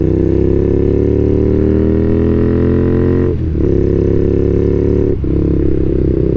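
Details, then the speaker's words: Warm carbureted twin motorcycle after carb sync and a ride; it rides fine but runs slightly rich. A low buzzy idle dips and stumbles twice. The idle is more erratic than before, cause unknown. "I've got a little bit of an issue with the idle. I don't know why, but it seems to be a little bit more erratic now than what it was before."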